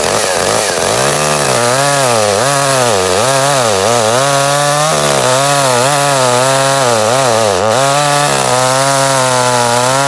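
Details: Echo CS 310 chainsaw after replacing faulty spark plug, cutting wood: high crisp saw note dipping and recovering as it bites, clean pickup without stumbling; normal running under load.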